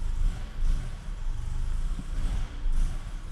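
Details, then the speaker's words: 2001 Honda Accord after new fuel tank, subframe, exhaust and motor mount, fuel system primed: low uneven rumble that dips and stumbles without settling; still bogs at idle, sounds better, owner suspects ECU relearn after battery disconnect. "it still bogs see if it gets better probably still needs to relearn its memory because of the battery being unhooked"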